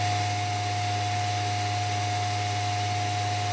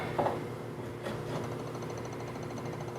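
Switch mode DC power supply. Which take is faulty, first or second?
second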